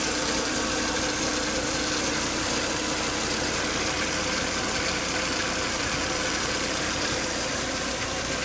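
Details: Volvo S80 2.5T at idle, with high intake vacuum sucking air hard at the oil cap, a noise appearing after 10–20 minutes running and coolant boiling: a hissy, airy whine over an uneven idle with a faint light patter. Cause not yet known.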